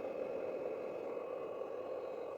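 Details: Xbox One AC adapter: steady, even motor-like whir with a faint high whine continuing after the console is turned off in instant-on sleep mode; the noise stops after setting full shutdown.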